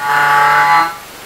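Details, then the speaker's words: Feiyu G5 gimbal motor, switched on. Loud strained buzzing for under a second, then it shuts down. The motor's metal is rubbing and marking metal, causing grinding and shutoff. "See the metal is touching there, look. Metal, touching metal."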